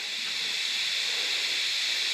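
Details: Honda intake manifold pressurised to about 10 PSI with compressed air, new plate, engine off: steady sharp unchanging hiss; air leak coming from the gasket, not the plate or manifold seams.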